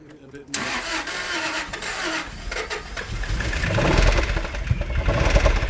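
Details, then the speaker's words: Daimler 4.0 V8, not run since 2016, first start with temporary fuel setup: cranks, catches within a second, then a steady rising rumble without knocks or misfires; normal running after start. "it's running listen to that works for me switch it off ah she's a runner"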